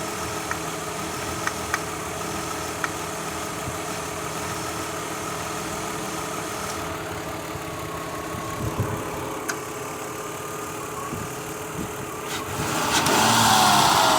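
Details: 2003 Mazda Tribute V6 at idle: slightly uneven, lumpy beat from a cylinder misfire; owner suspects leaking valve cover gaskets let oil into the spark plug wells so the coils arc.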